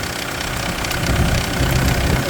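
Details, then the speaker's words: Kia Sorento diesel, almost 150,000 mi, cold start after sitting: uneven slapping, popping knock over normal clatter at steady idle, owner likens it to a chain; says it subsides to smooth when warm, no power loss; cause unknown. "So, I think this is the that sound will subside and it becomes smooth. I mean it becomes really smooth"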